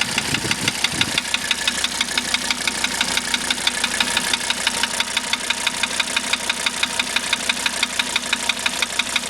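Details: 1985 Mercedes 300D diesel idling with diesel purge running through it: crisp, even knock about twice per second riding over the idle clatter; cause of knock unknown, owner asking for help.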